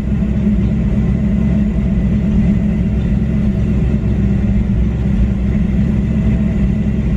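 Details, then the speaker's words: 1994 Ford Mustang GT V8 during OBD1 KOER test: steady low idle rumble with slightly uneven lumpy beat; rough idle, cause not pinned down. "I can feel the car sounds like it's misfiring what it's doing"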